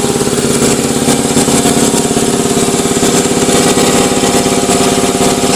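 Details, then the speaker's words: Ingersoll Rand 80-gallon vertical air compressor, 5 hp, 230 V three-phase, cover off and temporarily wired: fast, even piston thumping at steady pace with no knocks, squeals or misses; normal running. "Here we have an Ingersoll Rand 80-gallon vertical compressor, 5 horsepower, 230 volt, 3-phase, and we're going to fire it up just to show you that it does operate."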